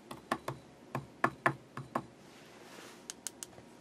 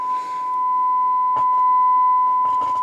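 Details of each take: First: Knight KB-85 stereo tube amplifier slowly powered up on a variac, around 90–100 volts input with a sine wave fed in; sharp irregular pops and crackling, and no signal through to the output. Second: Knight KB-85 stereo tube amplifier after EF86 and 12AX7 tubes were reinserted correctly: clean steady test tone from both channels with a few clicks, no crackle.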